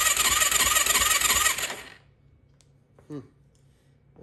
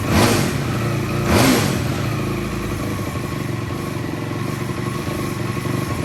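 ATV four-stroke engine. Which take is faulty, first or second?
first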